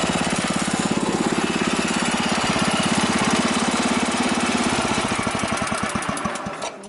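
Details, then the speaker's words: Wheel Horse tractor single-cylinder engine, first start after rebuild: strong, even thumping at a steady rate, then slowing and dying away at shutdown; ran flawlessly about a minute before fuel leak and blue smoke; normal running. "so that is awesome guys the engine started up after the rebuild and you hear how well it ran it was running flawlessly until up until about a minute into it"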